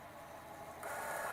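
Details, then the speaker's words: Portable CD player wired to a speaker through the headphone jack: after pressing play, a quiet whir rises into a brief brighter buzz for about half a second as the disc spins up, then settles; a normal start-up. "You can hear it starts up. And it begins to play."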